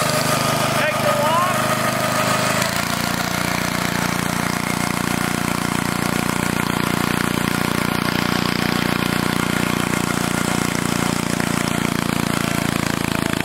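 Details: Old Onan single-cylinder engine: starter grind, then it catches and settles into a steady, even idle with no misses, running healthy.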